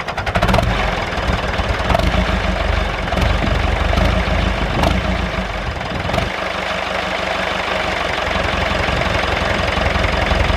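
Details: David Brown 996 diesel tractor, left sitting about 10 years, just started: steady, even clatter at a settled idle with no misses or surging; running normally.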